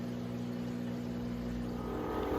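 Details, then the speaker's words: Maytag washer on final spin with 7 minutes left: steady, even whirring hum climbing slightly as the drum gains speed, smooth with no knocking; normal spin cycle. "right, we are back on the final spin. So 7 minutes left. You can see it's spinning super fast. Nice smooth operation. Sounds great."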